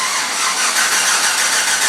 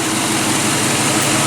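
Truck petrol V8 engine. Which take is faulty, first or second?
first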